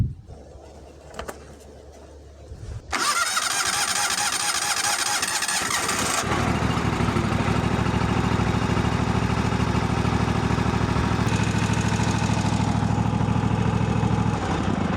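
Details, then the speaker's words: Kawasaki FH-series 15–23HP twin just after an oil change, idling a minute or two before the level check: brief starter whir, then a steady even idle with no knocks or misses; normal start. "And start it up and idle it for about a minute or two."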